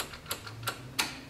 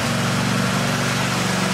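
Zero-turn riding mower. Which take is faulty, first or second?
first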